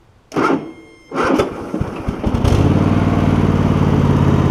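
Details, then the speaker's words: Cub Cadet GT1554 garden tractor with Kohler V-twin, new ignition coils, restarting hot after 30 minutes mowing: slow, labored cranking in uneven bursts before it catches and settles into steady idle; weak starter cranking. "starter's a little weak but all these colors are like that for some reason"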